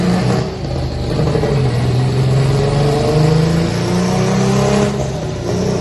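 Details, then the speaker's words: Mitsubishi Evo X tuned on E-flex fuel, GTX3584RS turbo in stock location, 18 psi spring, sleeved block, GSC S2 cams: pulling hard under load, rising tones with a rough edge to the spool; tuner hears the turbo going out, run stopped at about 500. "But he made like 500. The turbo's going out. I literally hear it."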